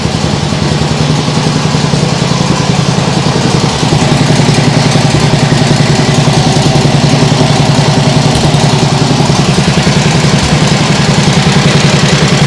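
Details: Nibbi G619 walk-behind tractor engine after carburettor work to cure hunting; low idle at lowest throttle, steady putter about 3.5 beats a second, maybe an occasional hiccup but a vast improvement.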